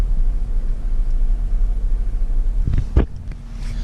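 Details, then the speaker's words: Pontiac Grand Prix GTP at idle: a deep rumble that sags with a shudder, as if about to stall, whenever the gauge needle drops, then revs up when it rises; it happens only at idle and never while driving; cause unknown. "time that needle bobs or drops the car vibrates and sounds like it's gonna die and every time it goes up I've seen the car revs up"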